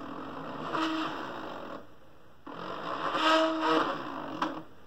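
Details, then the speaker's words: Original Fluidmotion SteppIR 3-element antenna controller (version 3804) in test mode on a test jig, after replacing the driven element's stepper motor driver chip (possible lightning damage): two short runs of smooth, steady whirring with clean stops, strong and even; the stepper drive is healthy. "test it one more time yeah sounds good and strong hey so replace the driver chip are good to go"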